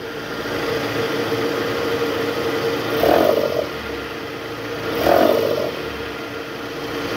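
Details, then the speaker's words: Toyota Harrier, high mileage, AC on, in R, revved to about 1000 rpm: coarse growl on throttle blips that fades as revs drop; belt tensioner vibrating and growling because its spring is weak; tensioner to be replaced. "Oke Guys jadi tadi kita udah konfirmasi itu ada suara dari Tensioner bunyi ngorok gitu pas masuk R terus digas itu tensionernya geter dan bunyi ngorok akibat Eh pegasnya udah lemah"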